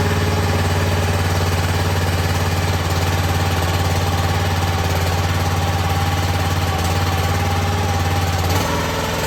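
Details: Cheap log splitter repowered with a brand-new minibike engine that has about 2 minutes of run time. Small single-cylinder engine puttering at a steady, even beat with a strong low thump, no knocking or misses: healthy normal idle.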